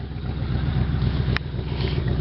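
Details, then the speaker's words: 1986 Oldsmobile Cutlass Supreme, 305ci Chevrolet V8, cold start after 60 days parked: lumpy uneven idle stumbling as a cylinder cuts in and out; misfire, owner suspects bad plug wire or fouled plug; no black smoke, not running rich. "So it definitely has a dead cylinder. It keeps cutting in and out. I'm not sure which cylinder it is, but it's got to be a bad spark plug wire somewhere, or a foul plug or something."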